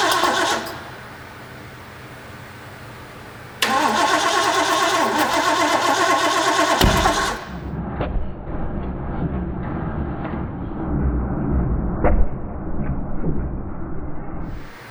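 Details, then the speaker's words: Rebuilt seized Ford 351 Cleveland V8 from a barn-find 1972 De Tomaso Pantera, first start with the carburetor primed: long steady cranking with coughs but no catch; spark present, flooding suspected, timing 180 degrees out. "I almost wonder if we flooded it do we have spark we got the spark not getting fuel to it"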